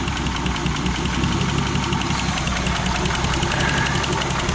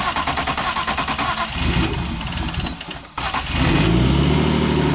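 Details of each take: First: Turbo M52 E36 on E85, cold start at 38°F, idling very low at about 500 rpm: uneven, stumbling beat as the cylinder 4 coil is pulled, proving cylinder 4 fires after an earlier no-compression episode possibly from a stuck lifter. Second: E36 with turbo M52 on E85 after cylinder 4 lost compression, suspected stuck lifter, valve cover refitted: cranks a few seconds, catches and settles into smooth even idle with brief rev on all six cylinders; normal idle.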